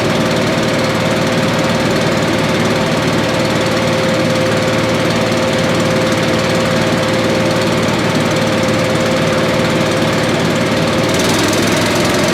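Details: Billy Goat leaf blower, Briggs & Stratton 9.5 hp single found headed to scrap, sooty plug, low compression, slightly choked: steady even chug at constant pitch, no misses, running normally.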